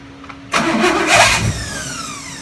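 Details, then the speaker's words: 1970 Chevelle 454 V8, first-ever start during cam break-in: short crank, then catches sharply into a rough fast idle; wouldn't start because distributor timing was set far off, rotated back slightly and it fired, timing now close. "So the reason it wouldn't start at the beginning is because I had this all the way this way. I just ran it in a little bit and then it fired right up."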